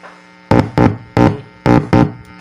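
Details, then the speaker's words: Homemade split-supply power amp (about 31–33 V), left channel wired direct without relay to a small speaker: touching the left input gives five loud bursts of low hum that drop back each time; channel amplifying properly, normal input hum. "Ayan, hawakan natin yung input ng left."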